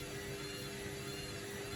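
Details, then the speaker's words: Street-find Candy Grand O Vita GV 139 D3 washing machine on 14-min rapido test wash: steady mid-pitched motor whine over low rumble while struggling to balance an unbalanced load before spin. "You can hear the way it's whining. It's struggling to get to a point where it thinks it can spin fast enough, although it might just go for it."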